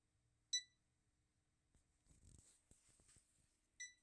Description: My Tenee DTF printer will not turn on, and it is making a beeping sound.